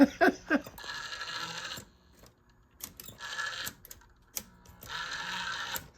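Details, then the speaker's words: SABA Breisgau Automatic 125 radio, first power-up before recapping, run up slowly on a Variac to 117 V drawing about 55 W: automatic tuning motor throbs in short uneven whirring runs and won't keep seeking until it finds a station. "the motor's throbbing see if it runs runs where not actually seeking it should keep running until it finds a station then stop re not doing that"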